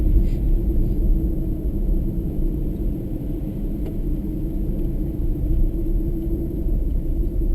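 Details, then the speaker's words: Toyota Prius hybrid in Japan driving at steady cruise on snow tyres: a constant low hum and whining drone with no knocks or grinding. The snow tyres are noisier than standard tyres, so this is normal tyre road noise. "Soft compound rubber, I guess, probably what makes them noisy, but they're noisier than standard tyres. That whining sound you can hear is the snow tyres."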